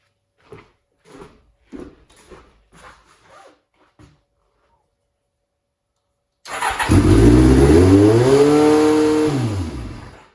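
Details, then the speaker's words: 1989 Kawasaki Ninja ZX7 being restored, compression about 400+ with cylinder one at 325: fires and climbs straight to a high, steady howl that never drops; choke and throttle not stuck, idle speed screw turned way up. "Yeah, she certainly seems to want to over rev right now, so throttle's not stuck, choke's not stuck, so we'll have to do a bit of investigation there."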